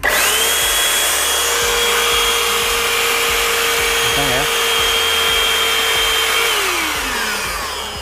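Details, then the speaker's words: Jaco EZ Hoover Turbo JC333 vacuum cleaner, 220–240 V, after bearing replacement for strong vibration and noise: motor holds a clean, steady high whine with strong suction, no rumble or rattle, then winds down evenly; normal running. "Uh mantap ni semburannya kencang ya nikah nanti debunya ketarik kesini uh kenceng banget ya"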